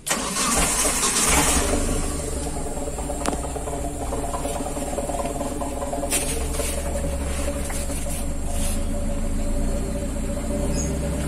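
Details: T120SS fuel-injected, which surged on hills, wouldn't rev and stalled without restarting; after the fuel pump was replaced, it cranks, catches and settles into a steady, even idle without stumbling or misfire; runs healthy.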